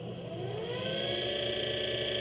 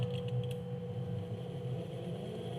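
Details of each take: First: Electric minibike motor, unloaded, on its controller running test code set to acceleration 10 and top speed 10. Holding the button, a smooth electric whine climbs steadily in pitch and falls on release, with no roughness or clicking; normal ramp-up. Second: Electric minibike motor on a test of its controller code with the acceleration setting very low: the electric whine climbs slowly and steadily in pitch, taking a long time to reach max speed.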